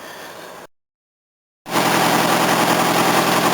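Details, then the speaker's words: Old Mercedes 230: sharp, fast puffing tick at about 3–4 per second over a loud, raspy idle; exhaust leak at the engine pipe flange, which was made with the wrong flare and does not tighten; new engine pipe needed. "so it's not actually tightening at all it just sort of sits there so I'll have to go get a new engine pipe made we have to deal with the noise until then which is a bit annoying"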